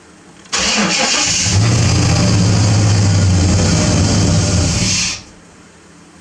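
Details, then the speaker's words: 1995 Silverado Z71 1500, transplanted engine first start: cranks, catches, runs rough about four seconds then dies abruptly; puddle of gas from one of two gas lines left untightened. "hello puddle of gas there's a gas line I forgot to tighten that's why she shut off"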